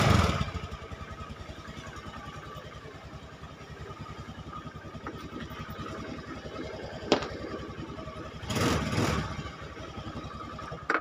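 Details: Honda Scoopy carburetted automatic scooter whose starter only clicked: single cylinder settles into a quick, even putter of about four beats a second after starting; runs clean and healthy.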